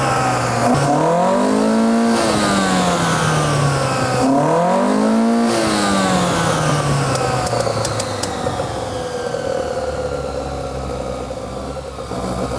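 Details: Mitsubishi Sigma on its first decent run, with revs rising and falling roughly through the new custom exhaust and settling back unevenly, choke in use; the carbs are running very lean.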